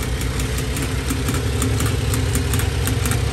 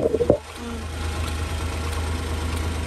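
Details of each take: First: Honda Acty mini truck with cheap aftermarket fuel pump, mic underneath close to the pump: sharp fast even ticking about three per second over steady idle, not following the engine; pump grew louder, then began failing with hesitation. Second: Honda Acty mini truck after replacing a cheap aftermarket fuel pump with an OEM-style one: brief clatter on startup, then a low, even idle with no pump whine; the new pump runs quietly and smoothly.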